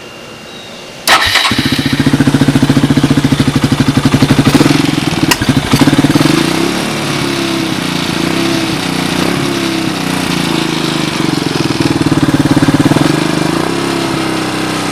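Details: Suzuki DR200ES single-cylinder dirt bike after a fire two weeks earlier, fitted with a Honda ATC250ES clone carburetor, air filter removed, started with a jump box: fires first try, steady thump with light blipping; normal start and idle.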